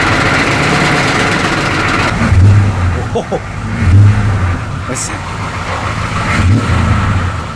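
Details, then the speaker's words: CUCV M1028 diesel truck, low-mileage engine: even idle with a low steady rumble and a few louder surges, no rattle riding over it; engine sounds healthy. "runs good sounds good you really can just tell how fresh and young this motor really is mileage wise"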